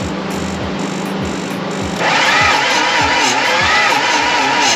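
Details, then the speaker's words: BMW E36 TDS inline-six diesel, starter wired directly, wire heating: steady, slow churning of about four beats a second; the engine turns over sluggishly and never catches. Same slow cranking as with the old starter; owner suspects compression. "Donc, le démarreur, il marche quand même. Ouais, mais au ralenti. On ralentit. Il tourne pas comme il devrait tourner."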